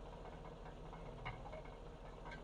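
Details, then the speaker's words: 2007 GMC Yukon Denali 6.2 L LS with a couple thousand miles on a brand-new crate engine: steady idle with dull repetitive knock heard underneath, traced by pry bar to the passenger-side catalytic converter, presumed loose brick, not the engine. "when I hold it to the passenger side catalytic converter I can hear a ton of noise and so what I'm assuming is the brick"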